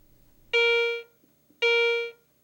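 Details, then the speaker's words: Garrett ACE 150 metal detector, coin passed over the search coil: two clean mid-pitched tones about a second apart, each ringing then fading; normal coin detection response. "Next, scan the same objects with the detector set in the jewelry mode, then in the coins mode. Listen to the detection sounds made or not made by the various objects."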